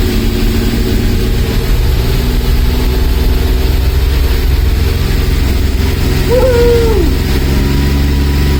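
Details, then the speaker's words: Mazda MX5 with Rocketeer V6 kit on its first start: deep, smooth V6 rumble at a steady idle with no ticking, knocking or stumbling, running in wasted-spark rather than fully sequential mode; normal idle. "It's probably a good thing, because it's nice sound from the engine."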